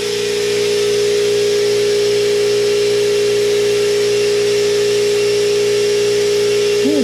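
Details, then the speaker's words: New Stealth 20-gallon twin-piston air compressor about 26 minutes into its break-in run, head temperatures about to be checked; steady even hum, no knocks or rattles. Normal running. "onna fall apart but that thing is a lot quieter"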